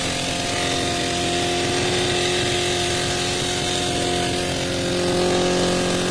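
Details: 2003 Suzuki GSX-R 600 auction bike, wiring harness repaired, first start attempt: high-pitched fast even buzz with slight rise near end, runs smoothly.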